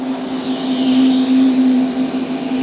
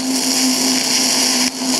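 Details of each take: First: TIG welding galvanized mild steel pipe after cleaning the zinc off and extending the tungsten: even, steady buzzing arc hum with one sharp pop; clean, stable arc with only slight popping from the galvanizing, no porosity. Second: TIG welding galvanized mild steel, zinc only partly cleaned off: steady hissing arc with low hum and a brief dropout, the spitting pop of zinc contaminating the tungsten, though the weld is cleaner.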